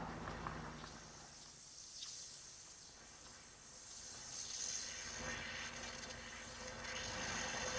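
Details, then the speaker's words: Cylinder leak-down test at 100 psi shop air, engine not running, showing 20% leakage, which is at the rebuild threshold. A faint, steady hiss of air leaks past the intake valves. "Anything past 15 to 20%, they usually call for a rebuild. If you listen, you can actually hear the air going by."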